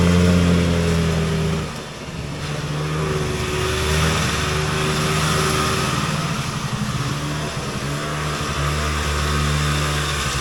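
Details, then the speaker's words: Polaris Colt vintage single-cylinder two-stroke race sled at part throttle after a needle clip change pulls with a steady drone, then sags and stumbles before picking up. Far too rich: a 360 main jet was found and switched down to a 170. "what we did find is a 360 mainjet doesn't that sound a little excessive for a single cylinder extremely exive uh so we switched it down"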